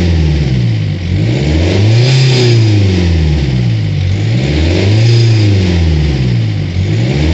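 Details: Ford Focus 2 engine revved in repeated throttle blips; an odd coarse tone rides the revs, cause not evident.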